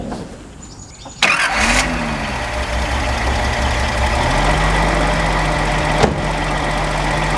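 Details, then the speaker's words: 1978 Datsun 280Z, first runs in 30 years, all injectors now firing: cranks, catches, settles into slightly uneven idle; random misfire remains, cause not confirmed. "Uh it still seems like it kind of has a random misfire, but I'll start it up for you guys and you can hear for yourself."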